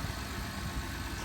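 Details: 2012 Honda Odyssey V6 after replacing the rocker arm oil pressure switch for code P3400: a quiet, even idle hum with no stumble, tick or hunting. The engine runs smoothly.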